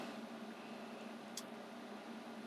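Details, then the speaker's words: Jackery Explorer 1500 power station powering an 1800 W induction cooktop drawing about 500 W: steady, even cooling fan rush with faint low hum, no rattles or surging; normal fan under load. "so i can hear the fan running on the jackery too"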